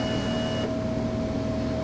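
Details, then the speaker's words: Excelsior-Henderson Super X at key-on with fan off, being checked for stalling: steady even mid-pitched fuel pump hum, no grinding; normal fuel pump priming. "I got the fan off so we could hear it and you could hear the pump"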